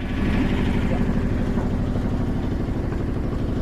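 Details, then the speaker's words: 1978 Yanmar YSB8 marine diesel, sat 10+ years in a flooded boat, first run in years: even low chugging at steady idle, about three beats a second, no knocks or misses; idling nicely. "It's running nicely. It's idling nicely, apparently. And it just needs a little more throttle than I gave it the first time."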